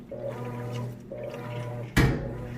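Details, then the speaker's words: Whirlpool HE washer in wash cycle after sensing, clothes nearly fully submerged, bottom agitation plate moving them. Soft hum with gentle swishing strokes about once a second and a quiet clunk at each reversal; pretty quiet. Normal agitation. "Alright guys, so we've moved out of sensing into washing. You can hear it agitating good. Got just about full submersion on those clothes."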